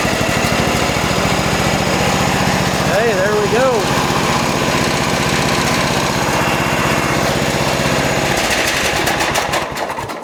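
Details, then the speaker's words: John Deere lawn tractor small single-cylinder engine with a crank no start, after a fuel pump check showed good flow to the carburetor; fires up into a steady, even chug with no misses or knocks; normal running. "All right. So, there you go. We got a running driving. Well, hopefully driving tractor, but at least I know it runs."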